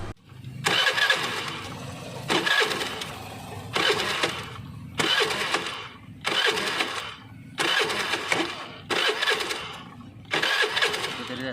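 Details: Honda Activa 5G scooter cranking: seven short cranking bursts about two seconds apart, engine never catches; no ignition spark, traced to a wiring harness problem.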